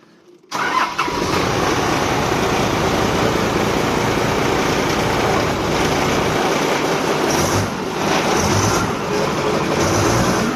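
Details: Forklift after temporary gear lever connection repair (can't move forward/reverse fault): engine catches at once and settles into a steady, even run with no knocks or rough spots; sounds healthy.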